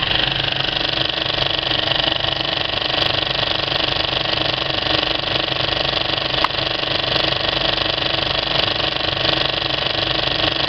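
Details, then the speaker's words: Well-threaded Kinoton FP30D cinema projector with Speco LP270 platter paying out film at the end of a screening: even, smooth mechanical chatter with a steady flutter and no knocks or scraping; normal running. "this is what a really well threaded up projector sounds like when it's"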